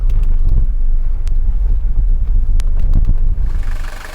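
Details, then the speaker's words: Mercedes W123 240D diesel, 129,000 miles, needs motor mounts: deep, even rumble with steady low clatter, no misses; smooth, healthy normal idle. "It's very smooth for a 240D. It's going to need motor mount replacement, but just listen to the sound. That's the sound of a healthy 240D engine."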